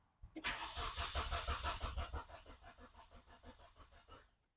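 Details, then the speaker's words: 1995 Nissan Pulsar N15 with dead fuel gauge; starter cranks evenly at about three turns a second with no firing and no fuel pump sound; crank no start, failed fuel pump. "You what I uh don't hear either is a fuel pump."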